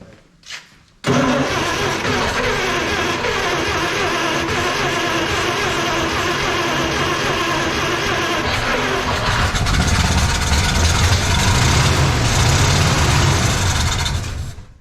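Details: 1956 Plymouth Savoy with a 277 Poly V8, first start on fuel poured into the carburetor with no tank feeding it: it catches and runs rough for about thirteen seconds, then fades and dies.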